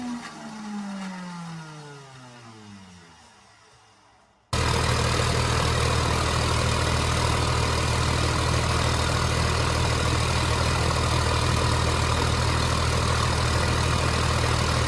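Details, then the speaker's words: 29-year-old TimberJack 450-C skidder diesel, sitting 8 years, started with ether: crank and catch, then settles into steady even low thrum about four beats a second; healthy diesel idle, runs good. "This thing runs so good. Let's check the blow by."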